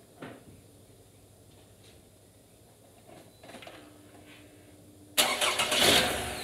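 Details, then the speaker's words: Toyota RAV4 after an alternator replacement: quiet, then the engine cranks and catches evenly, with no whine. The old unit whined and put out 9.5 V, causing stalling and battery lights; the new one charges almost 14.5 V. "And that alternator sounds much better too. The whine is gone."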